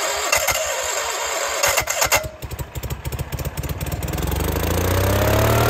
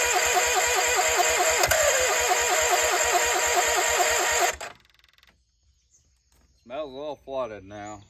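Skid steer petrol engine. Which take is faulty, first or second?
second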